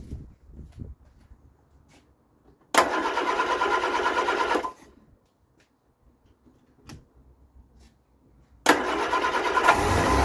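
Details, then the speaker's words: Vauxhall Viva, first start after fitting a new Weber carburettor while checking for fuel leaks: engine cranks, catches and races in fast, loud bursts instead of settling. High idle on start-up. Owner wonders whether timing needs redoing and plans new spark plugs. "because the engine does seem like it it was gone when I first kicked it over it was racing like the clappers and I'm thinking well I'll definitely I'll stick a new set of spark plugs in there"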